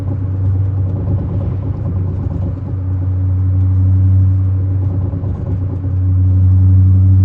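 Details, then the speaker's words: Ute after revving to about 5,000 rpm and letting off: deep rumble with quick rattle, about four beats a second as revs fall; worn tailshaft center bearing. "So that right there, what you can hear is actually a center bearing. This basically is just where the tail shaft sits in. They go all the time."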